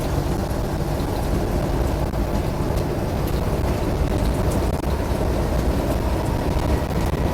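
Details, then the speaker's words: 1971 Jeep CJ5 V6 with an aftermarket Motorcraft-style carburetor after a power valve repair, driving with a soft top: steady, even engine drone under road and wind roar, no knocks or misses; pulling cleanly. "Loud with the soft top and being an old CJ5, but I'll kind of pretty solid. Not bad."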